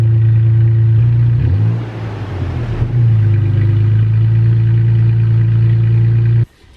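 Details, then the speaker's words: Toyota Tacoma with MBRP aftermarket exhaust, cold start heard from outside: catches, flares briefly, then settles into a deep, steady, throaty burble. Normal cold start idle. "okay that was the cold start now we're going to start it from inside again pretty much a cold start uh from inside the cabin so you guys can hear what it sounds like uh inside on a cold start"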